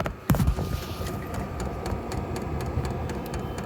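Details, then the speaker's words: VEVOR diesel air heater bench-tested after unboxing, at startup while heating: sharp light ticks about three per second over a soft fan hum, the dosing fuel pump clicking normally. "there is a little clicking noise that just"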